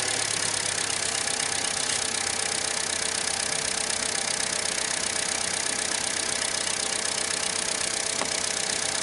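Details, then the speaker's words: 2012 Chevy Cruze 1.4L idling after new spark plugs and ignition coil assembly for a P0304 cylinder 4 misfire from corroded plug connections: even, steady idle with no stumble or skipped beats over hiss, smooth on all cylinders, warming up. "Sounds like it's running pretty smooth. I'll take it for a drive and check it out under load. Let it warm up a little bit first."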